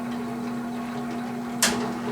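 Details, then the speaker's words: About 50-year-old box fan, motor rated 1000 rpm, before bushing replacement: a steady low hum with no rise in pitch across low, medium and high. It runs too slow; bushings worn from lack of oiling. "high there's not a noticeable difference between them all it should be spinning a lot faster than that"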